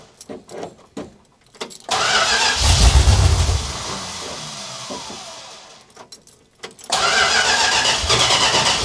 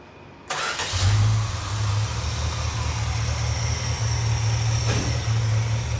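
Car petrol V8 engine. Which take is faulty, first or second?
first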